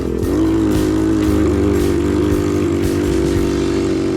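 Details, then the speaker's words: TEMU 110cc four-stroke pit bike ridden in cold weather: held engine drone with brief stumbles and dips, reluctant when cold; choke was found left on. "you can hear her just not liking the cold one bit I wonder if the choke is like oh yeah the choke was on for sure"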